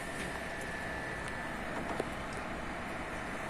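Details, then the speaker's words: Desktop PC with a working replacement SMPS (power supply) after the original was found dead: started by shorting the power-on pins directly on the board, and the fan runs with a steady, even rush, faint high whine and light clicks. Normal running. "இப்போ நான் start பண்ணுறேன் கீழே. இப்போ பாருங்கள் fan ஓடுது,"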